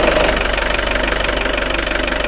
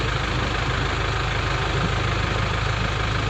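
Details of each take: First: Nissan Terrano diesel with FS5R30A 5-speed manual gearbox at idle: fast, even rattling clatter over the diesel idle, thought to be gearbox bearing noise; said to be harmless and not to worsen over years. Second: Nissan Terrano with FS5R30A 5-speed manual diesel gearbox: steady diesel clatter at idle, even low rumble, no whine, rattle or grind from the gearbox; sounds normal, checking whether sound changes with clutch pressed.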